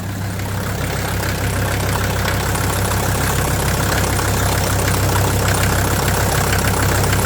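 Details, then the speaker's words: 1983 Mercedes 300D OM617 turbo diesel parts car, burning oil: steady idle with a sharp, fairly even clatter about 200 a minute over low rumble. Injector knock suspected, injector number one loudest by stethoscope; not confirmed. "it sounds like something's a little clattery on the inside and I'm not 100% sure what it is honestly it sounds like injector knock"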